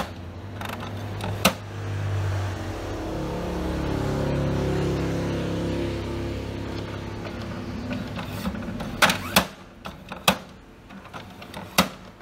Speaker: How to fix the problem of HP printer dengan masalah yaitu macet, kemudian muncul suara yang sangat keras ya, suara yang kasar, suara gemblodak yang sepertinya suara ini muncul dari mekanik yang ada di bagian dalam dari printer ini.